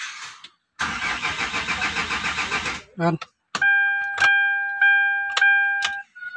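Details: Hyundai Grand Starex with glow plug and check engine lights flickering, scanner unable to communicate: starter churns about two seconds at a steady beat without catching; no-start attributed to a failed ECU.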